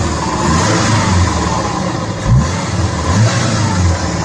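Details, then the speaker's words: 2004 Subaru Impreza, first run after engine re-assembly with a JB Weld-held stud (fix for burning coolant), smoky as oils and cleaners burn off: steady deep note rising and falling with throttle, no banging or knocking, no misfire; sounds healthy. "The nice thing is, there's no bang, bang, bang, bang, bang. So, Yeah. it didn't destruct itself. It's not kabooming."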